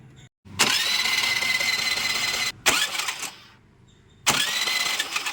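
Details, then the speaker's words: Scooter that won't start, during spark check, wire before the spark plug found corroded and crumbling: starter whirs in short bursts, engine spins freely but never fires; crank no start, no spark at the plug. "അപ്പൊ guys spark വരുന്നില്ല"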